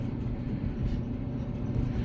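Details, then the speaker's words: Maytag Bravos XL MCT gas dryer running after the idler pulley was replaced to fix a loud squeak, with a soft, low tumbling rumble and no squealing. The small remaining noise is normal, so this is normal running. "so it's running and um not hearing no squeaking that little noise is normal"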